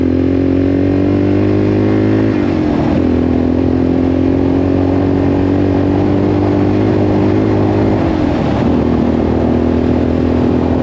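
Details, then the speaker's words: 1984 Yamaha XT600 after swapping wrong carburetor jets for correct standard jets, new plug, wide-open throttle desert run up to 75: steady single-cylinder drone climbing evenly through two gear changes with no breaking up; owner suspects still slightly lean (popping on decel). "It didn't break up at all. Huh, that's weird. That's the first time that I've ever had it not just break up like crazy."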